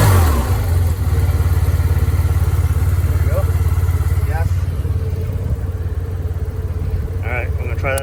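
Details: Yamaha TMax 500 scooter, cold start with brakes engaged: starter spins briefly, the engine fires in about one second and settles into a steady, even idle; a healthy start.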